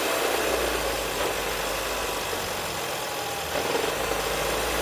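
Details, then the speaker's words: 2016 Ford Edge at idle: rough, irregular chatter about three or four a second appears when the AC is switched on and mostly goes away with AC off or when revved; owner suspects the air conditioning. "so what I did is I started it AC off turn the AC on where you can really hear the noise turn the AC back off it goes away for the most part"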